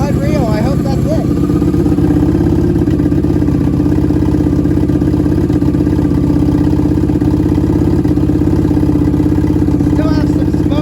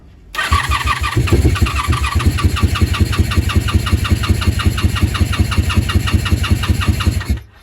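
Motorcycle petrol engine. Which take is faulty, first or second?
second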